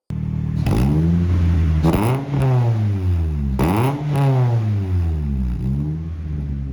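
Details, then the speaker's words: Naturally aspirated Honda DOHC engine with new Flash Shark header and welded-in center pipe section: revs rise and fall with a coarse, raspy exhaust edge, no knocking; still slightly raspy but better than open header. "Still has a bit of raspiness to it, but it's better than open header."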